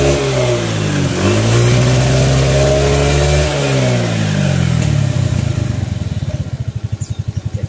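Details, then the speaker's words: Suzuki Nex automatic scooter after fitting the roller housing to cure judder ("gredek") on throttle on/off. It revs up and settles back evenly without shudder, then slows to a stop; judder gone, engine much smoother. "sini untuk nggek-gek nya sudah hilang bunyi mesin pun jauh lebih halus"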